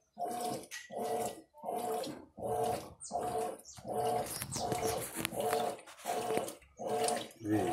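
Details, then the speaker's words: Mueller Energy 8kg washing machine, new, first wash after filling: regular even sloshing a little under one surge per second as the agitator swings; quiet, healthy normal wash cycle. "Ela já começou a bater. Só. Olha lá. Veja a velocidade. Silenciosa. Esse barulhinho aí é porque o microfone é muito sensível, mas é bem silenciosa. E aí tá, começou o ciclo de lavagem."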